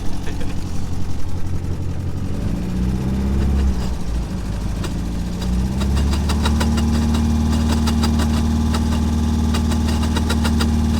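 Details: Triumph TR4 at steady idle: quick squeaky bird-like chirps with faint grinding ticks, tach needle jumping around; failing, bad tachometer cable.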